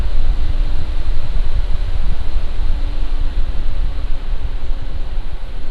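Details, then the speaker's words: Lian Li Galahad II Lite AIO with ARGB fans, mic about 1 foot from radiator, Cinebench load: steady even air rush with faint low hum, no ticking or rattling; healthy fans. "Now I'm just going to run the Cinebench, and this is how it sounds like when it's at load."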